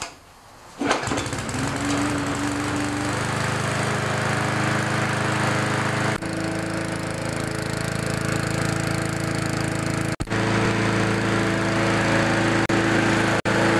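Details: Briggs & Stratton lawnmower engine after its Pulsa Prime carburetor was cleaned, reassembled and refuelled: catches and settles into a steady, even run with no misfires or surging, normal running after repair.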